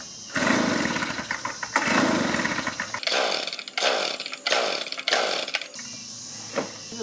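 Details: 2-cycle blower, choke on, air filter removed: repeated recoil pulls give short whirring bursts that never fire; intermittent hard-start history; dead no-start, no spark and ignition coil suspected.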